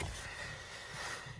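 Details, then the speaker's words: Renault Megane 2, parked, steering turned left and right: drawn-out high squeaky creak with a low rubbing groan; owner unsure, suspects subframe locating pins. "аж раптом ввечері в мене ходовка почала скріпіти і коли Я кручу кермо вліво-вправо на стоячу автівку"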